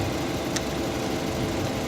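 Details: VW Golf V that cranked but wouldn't start after the battery was connected in reverse, idling after its ECU was replaced with a cloned scrapyard unit. Steady, even idle with no misses, knocks or surging. Normal idle.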